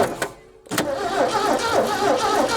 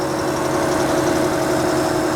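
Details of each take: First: 1967 Ford F-100 being revived after sitting: starter turns the engine over evenly, three or four compressions a second for seven seconds, without catching; no fuel pressure yet. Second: 1967 Ford F-100 old truck revived after fresh oil and fuel work: smooth even idle with steady hum, no ticking or clatter from the top end; oil circulating, sounds healthy.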